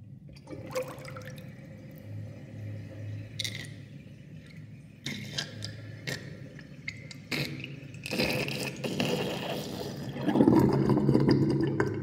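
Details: Bathroom sink draining past a new 32.5 mm sink plug with a whirlpool: water swirls down with an irregular gurgle and gulping slurps that build toward the end, ordinary draining.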